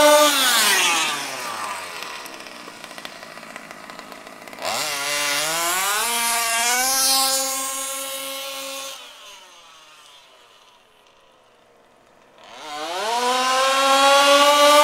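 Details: HPI Baja SS rebuilt from an eBay junker, Zenoah G320 two-stroke with V2 Dominator pipe on 91-octane ethanol-free fuel with Bel-ray oil at 32:1, during high-speed needle tuning: sharp scream up through the revs, drops and climbs again; running slightly lean, later sorted.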